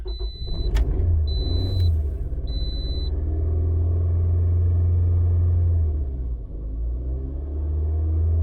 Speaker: What we're going to do is we're going to start it up first, and like I said, this thing will be partially flooded. That's normal.